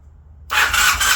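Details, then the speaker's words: 1981 Honda CM400 sitting since 2000, cranking on the starter with an even, rhythmic churn but never catching; weak intermittent spark persists even after swapping in a known-good coil (old coil failed ohm test); rusty flywheel suspected. "Still intermittent spark. Interesting. Why do you have weak spark?"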